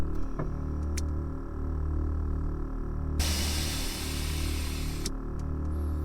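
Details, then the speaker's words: 1992 Ford Fox body Mustang 5.0 notchback with a manual Airtekk stage 2 air ride system, heard inside the cab: steady compressor drone (owner thinks about a 2.5-gallon tank), then a sharp two-second rush of air as the bags dump to air the car down. Normal operation. "and I mean quite honestly this gives you a bit of an impression of how loud it is in the cab when the compressor's on"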